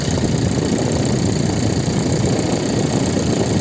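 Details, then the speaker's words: Hyundai i30 turbo idling with a fast, rough clattering knock: the radiator cooling fan blades are striking ice in the engine bay, which got in because there is no underbody protection. "i30 приехал турбовый что-то стучит вентилятор посмотрели тоже он стучит а там лёд который вентилятор задевает"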